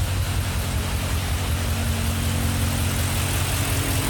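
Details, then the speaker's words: Engine with cylinder 3 misfire after a full bottle each of Seafoam and Rislone, idling: rough stumble about three beats a second with faint ticking, not heard via exhaust or other bank; suspected bent valve, head removal planned. "You can hear the misfire. You can't really hear the tap. Quite strange."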